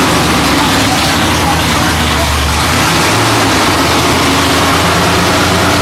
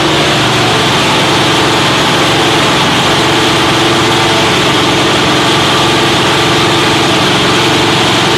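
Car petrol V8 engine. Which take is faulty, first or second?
first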